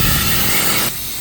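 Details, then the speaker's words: Truck's PTO/dump control valve with blown seal, after the air hose is refitted: loud steady air hiss drops to a quieter continuous leak while waiting for air pressure to rebuild; still leaking from the blown seal. "It's still leaking a little bit, but not as bad as it was. Now we just gotta wait for our air pressure to come back up so we can get home, get this fixed."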